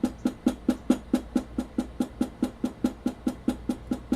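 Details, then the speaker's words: Stock, unmodified Sony PS-X800 linear-tracking turntable, plinth tapped in several quadrants and recorded on camera built-in mics: even taps about two per second, each with a hollow low-mid rattle; stock plinth resonates, unlike the damped modified one. "I would advise you to pay close attention to a rattly type of sound characteristic on the stock 800 you can especially hear it here it's really obvious in that quadrant"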